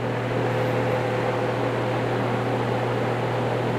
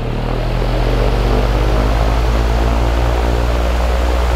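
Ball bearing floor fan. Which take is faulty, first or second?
second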